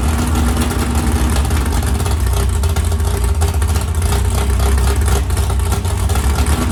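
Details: 769hp 409ci Ford 351 Cleveland on engine run stand, after starter grinding, now turning over without catching: strong steady low rumble idling evenly with slight rev surges, no grinding or starter noise; running healthy.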